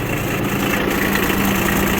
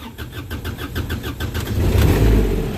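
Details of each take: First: Kubota RTV900 diesel after a head gasket replacement and bleeding air from the fuel system: steady, even idle clatter with no misses, hunting or roughness. Normal idle. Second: Kubota RTV900 diesel utility vehicle with a blown head gasket: slow, labored cranking at about four beats a second before it stumbles into life; hard start, with smoke and compression forced into the cooling system.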